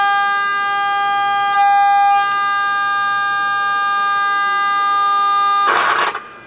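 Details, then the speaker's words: Becker Europa MU solid-state car radio with dead FM: 10.7 MHz signal-generator signal into IF gives a steady loud whistle at one pitch for about six seconds, so IF is good; fault suspected upstream in FM tuner. "so you can hear the if is hot in this thing I mean that's just laying there [Music] so that's just a 10.7 signal laying there so that that's hot it's real hot so the if is good"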